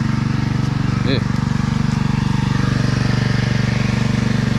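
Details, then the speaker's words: Husqvarna pressure washer engine running out residual old fuel after fuel replacement: hard, regular rattle about four times a second over the exhaust beat; stethoscope says not the water pump, owner suspects a loose bolt under the frame. "Yeah, so we're letting it run out a bit, and then we'll go ahead and flip this thing on its side and see if maybe there's a loose bolt down there that's causing that racket, because that sounds nasty."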